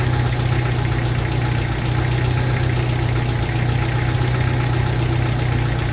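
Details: 1995 Jeep Wrangler YJ 2.5L four-cylinder after fitting new fuel injectors: deep, steady rumble with an even beat, no stumbling or ticking; clean, healthy idle, and the check engine light went off.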